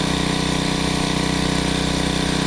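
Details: GENERAC 750-watt generator after final mixer adjustments: it runs at a steady, even speed with a smooth buzzing drone and no longer surges. Voltage still cannot be brought any lower.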